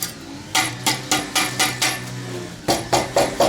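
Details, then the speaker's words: Mitsubishi ASX 4A92 brought in for a knock in the cylinder head: about a dozen sharp metal knocks from the cut-off resonator (catalytic converter replacement), each leaving a tinny rattle from loose internals; loose exhaust internals rattle. "Ну, этот звук, который у меня получился, вероятно, из-за какой-то хламной штуковины. Слышите? Здесь всё гремит."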